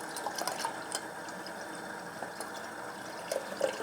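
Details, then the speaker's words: Watercooled 14900K and 4090 build in a 13-litre NAS case, pump first activated: soft gurgling hiss with splashy pops as the pump spins up slowly, pushing water full of small air bubbles. "The noise you'll hear from the pump is water with lots of small air bubbles in, so when it goes quiet, that means it's just pure water in there."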